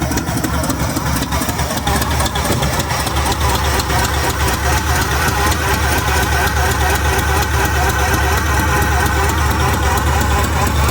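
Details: 1966 Pontiac LeMans V8 at idle, first start in about six weeks: loud idle with sharp ticking puff on each firing pulse, about two per second; header gasket repeatedly blowing out at the side, exhaust header leak.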